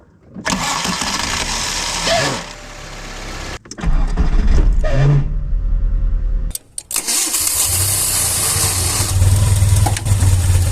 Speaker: el siguiente es un sonido de la marcha Al momento de que el bendit sale para accionar el motor no regresa y se